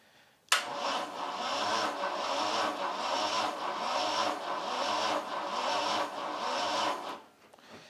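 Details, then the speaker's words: Vauxhall Chevette engine parked over 10 years, compression test with throttle held open: slow labouring crank about one beat a second on weak battery; 70 PSI on cylinder one. "that's not really got much power in that battery"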